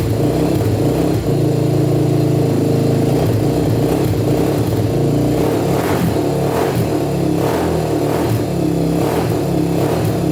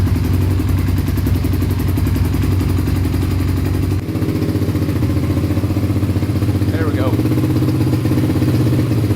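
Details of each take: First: 1987 Honda TRX250X quad with a 38 pilot and 120 main jet, first start: the single cylinder revs in quick blips with a thin, slightly uneven bark. It starts easily but sounds lean, so the main and possibly the pilot may need to go up. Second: 1987 Honda TRX250X quad after rejetting for aftermarket silencer and freeing stuck throttle cable: steady even single-cylinder putter at idle, no misses or knocks; running pretty good, normal idle.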